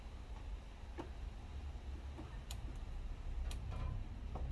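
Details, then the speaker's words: DIY diesel heater controller priming the dosing pump after raising pulse generator supply from 5 V to 12 V: crisp, sharp single clicks roughly once a second over a low hum; strong pulse, much healthier than the earlier feeble click. "and now this time round that's a much healthier click last time it was a bit feeble to be honest"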